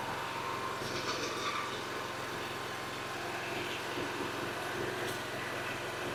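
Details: Toro mower with Kawasaki engine, previously running badly and leaking gas, after carburetor work and oil change, briefly flooded on choke start: steady even drone with no misses, knocks or surging; running smoothly.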